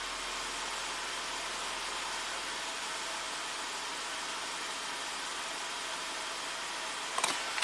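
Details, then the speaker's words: 2017 Jeep Wrangler Rubicon with codes P0390 and P0394, oil pressure 50 psi: after cold-start rattle fades as the cats warm and exhaust cams return to default, a smooth, even idle hum with no rattle or tick; normal idle. "It rattles pretty bad until the cats warm up and the exhaust cams return to default position. There it goes, perfectly quiet now."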